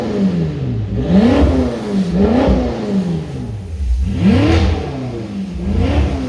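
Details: BMW M5 F10 at 92k km after check-up and oil service, no leaks found: four clean throttle blips about a second apart, pitch rising and falling smoothly with no knock or rattle; V8 feels much healthier than before, normal revving.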